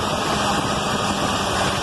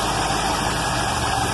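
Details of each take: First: Carbureted points-ignition car after the dwell was cut from 40 to 30 (spec 26–33) and the idle lowered; the idle wanders up and down and won't settle, still stalling. Owner unsure whether the cause is the carburetor or the points. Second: Carbureted car back running after a year, with the starter rebuilt and the carb sorted; while warming it holds a steady idle at a reasonable speed with a smooth low burble and no knocks or misses. Mixture tuning and the choke cam still need attention.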